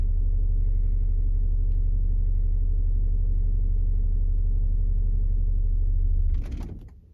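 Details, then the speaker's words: 2009 BMW X5 35d, M57 3.0L twin-turbo diesel, scan-tool test actuating the fuel quantity control valve at idle: steady idle for about six seconds then engine shuts off abruptly as the test intends; restarted normally afterwards. "Okay, it shut down. The engine shut off."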